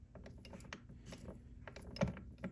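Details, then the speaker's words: Triumph Spitfire gearbox during rebuild, turned by hand on the bench: uneven clicks and a notchy sticking point between input shaft and lay gear, main shaft fine; lay shaft suspected, unconfirmed. "So as you spin this, you'll notice that all of a sudden the input shaft, like, you hear that? There's a sticking point."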